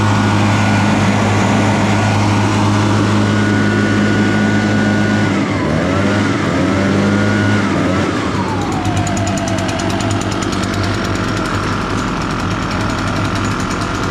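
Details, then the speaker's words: Echo PB-580T backpack blower, sat for years, cold, choked and purged, kill wire unhooked: two-stroke buzzes steadily, pitch dipping and recovering as it warms, runs fine with kill lead off, so a short in the kill wire, feared inside the handle. "When I plug in wires back in, if it kills it, that'll tell us too that it's a short in that wire somewhere. Yep, we got a short somewhere in that kill wire."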